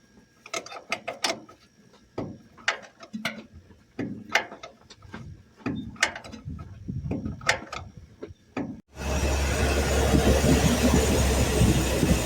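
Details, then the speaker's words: Truck engine after new spark plug wires and initial timing set, previously running rough: after some clunking and handling noise it fires and holds a steady, even idle with no misfire; "runs smooth." Normal idle. "God, it runs smooth. Smells pretty good."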